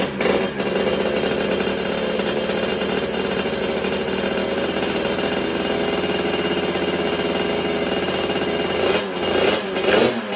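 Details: Sherco two-stroke on its first start with a brand-new 88cc Stage6 kit: a harsh, rattly buzz from the crankcase, then the engine stopped dead. It is a piston pin circlip failure, though the cylinder and piston were initially found undamaged.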